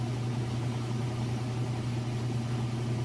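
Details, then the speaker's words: Roper/Whirlpool top-load washer during the final spin at about full speed: an even low hum with no knocking or thumping. The drum is balanced and running normally. "as you can see in here it sounds great it's not off balance no weird noises or anything like that"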